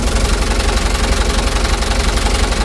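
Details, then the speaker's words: Mitsubishi Canter HDX diesel after Bosch injection pump calibration and plunger replacement; starts easily but heavy, uneven lumpy clatter at idle, engine shaking, revs rising and falling, worse when hot. "Oke teman-teman semua e di sini sudah kita coba ya kita tes hidupkan hidupnya lumayan mudah tetapi di sini gunangan mesin yang lumayan"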